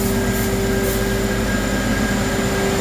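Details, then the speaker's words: 2008 Navigator diesel-pusher RV whose driver's-side rear settles in leveling mode. Air leveling manifold vents while the coach lowers: a steady, strong rush of escaping air, even throughout, with no sputter or pulsing. Normal air exhaust during leveling. "can hear that exhaust coming out the manifold we definitely dropped down a lot"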